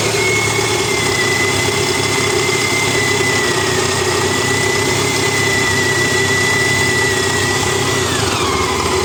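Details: Honda ST1300 motorcycle engine idling with a busy, steady metallic rattle through the exhaust note.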